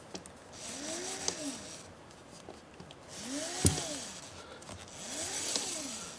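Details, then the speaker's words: 2018 Permobil F5 wheelchair motor, brushes not yet installed, turned by hand: faint hum that swoops in pitch with each turn, with no scraping or rubbing. Normal magnet and winding noise. "That is simply the sound of the magnetics and the windings interacting with each other. So, these are never going to be completely silent."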